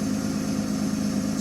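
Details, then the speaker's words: 2007 car, about 17 years old and used mainly for short trips, at start-up with a maintenance warning on the dash. An even idle with a quick regular puffing tick in step with firing reveals an exhaust leak, blamed on the short trips. "hear that don't sound right that's right there is an exhaust leak I uh I guess all I could say is I did it to myself"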